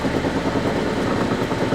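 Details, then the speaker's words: Vintage Lortone NS/8 8-inch lapidary arbor, first power-up: steady motor hum under fast uneven clatter as particle-board base rattles against an unlevel tabletop; owner plans cardboard underneath. "The noise is mostly coming from the particle board banging against the tabletop, which is not a level surface."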